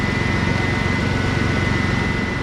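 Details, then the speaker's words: Teal Ford F-150 with 300 straight-six, after restoring spark from a failed ignition module and clearing flooding from cranking without spark: smooth, even idle pulse with faint steady tone, no stumble or misfire; normal idle. "it was probably flooded very badly from people cranking it me included with uh with no spark but now that's all cleaned out and it's back to its normal operating condition"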